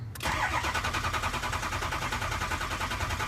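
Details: 6.0L Ford Powerstroke diesel cranking after IPR valve cleaned and reinstalled, watching ICP: strong, even cranking with regular compression pulses, no dragging or clatter; injection pressure builds past 500 PSI to over 2,000 PSI, normal cranking.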